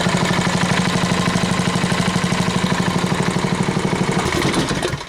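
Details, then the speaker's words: Tiller single-cylinder engine at half choke after swapping on a carburetor from another engine, with the air filter on: steady, even putter with no stumbling or hunting; now idling cleanly. "all right that runs much better sound"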